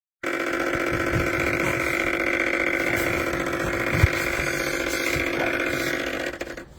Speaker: That noise is coming from the shift actuator because it's not actually shifting. It's trying to, but it's failing.